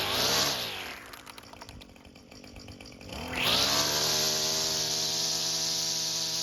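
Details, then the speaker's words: Echo string trimmer fitted with a replacement carburetor, system purged and choked: a crisp high buzz drops cleanly to a steady idle, then snaps back to full revs and holds. Normal running. "And as you can tell, it works great."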